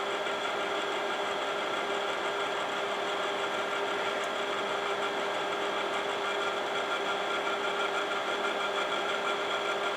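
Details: Imation LS-120 SuperDisk drive that works with SuperDisks, writing a SuperDisk: steady whirring buzz with faint ticking; head operation sounds different, owner suspects optical track alignment issue; written data came out corrupted.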